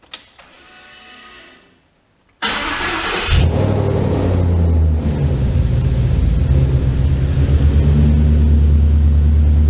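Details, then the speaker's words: 1989 Ford Ranger with Coyote V8 swap, refired after timing correction, no coolant: brief crank then a smooth, even V8 rumble with a steady lope and no misses. Much better, runs properly. "Much better. Ooh, she sounds good. Yes, she sounds good."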